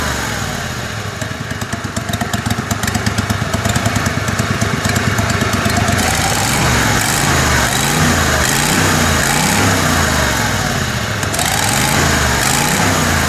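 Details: Kohler Command Pro 27hp lawn mower V-twin after head gasket repair, muffler baffle removed (possibly part of gasket failure): loud steady throaty beat, no misses or knocks; normal running.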